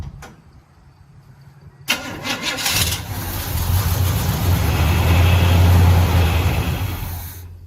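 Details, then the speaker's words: 1972 Chevy Cheyenne C20 truck, sitting 16+ years, gas poured into the carburetor: it catches after cranking, runs rough and unsteady, then dies. The engine won't pull fuel despite a new fuel pump; nothing seems clogged. "I'm trying to pull gas out. It's nothing's clogged. It just won't pull it."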